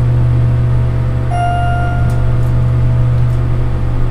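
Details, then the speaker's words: Schindler glass hydraulic elevator ride after repair: steady low rumble with faint tone partway, no longer jolting, rumbling much less than before, no squeak; finding: slight rumble during travel. "Doesn't jolt anymore. It's rumbling a little, but not nearly as badly as it used"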